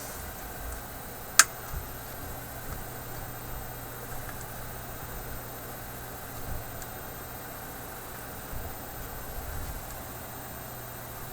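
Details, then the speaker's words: Philips 922 vacuum tube radio after replacing all paper capacitors, power switch shorted out: steady soft quiet hiss with faint low hum, no station tuned, antenna not yet connected; normal background hiss. "a nice quiet hiss coming out of it"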